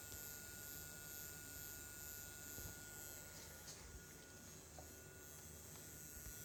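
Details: DJI Phantom 3 Professional gimbal fan after only 2–3 hours of flight time: a faint, steady high-pitched buzz with a thin whine on top. The fan was blown out and removed and found clean, yet it is still noisy.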